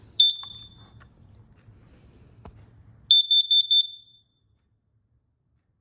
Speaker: today we're going to be testing the fire alarms around my house.